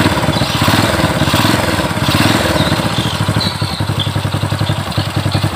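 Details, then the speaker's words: Honda Supra 100 motorcycle, after replacing noisy worn cam chain: small single settles into a steady, even idle thump with no top-end rattle or ticking; engine now smooth. "motornya sudah halus jangan dimatikan dulu masih di ini motornya sudah halus ya"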